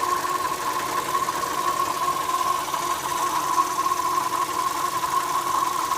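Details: Opel Astra J 1.4 A14XER; steady thin rpm-dependent whine from the left engine side over a running engine, deeper with AC compressor on; owner suspects a belt rubbing a hollow part or fuel filter flow noise, unconfirmed.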